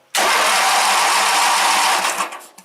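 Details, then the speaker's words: Wheel Horse GT-1800 Workhorse garden tractor, 18 hp Briggs opposed twin with a carburetor/fuel pump problem: the engine fires, needs throttle up and choke, and roars at high throttle, then sags and dies when throttled down. "and then you gotta throw the throttle up, and then choke it. Then when you throttle it down, it dies out."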